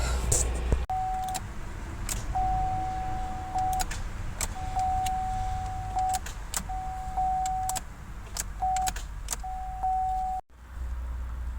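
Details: 2012 Chevy Cruze 1.8L, low oil, compression felt when turned by hand: single sharp clicks at each key turn with no cranking, warning chime behind; blown fuse in starter circuit, click no crank.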